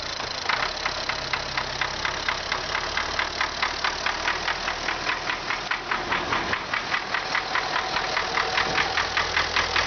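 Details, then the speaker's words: MTZ tractor diesel just started at idle: sharp, regular knocking about 2.5 per second over steady idle; internal knock, cause unknown. "Запустили двигатель. И слышим стук."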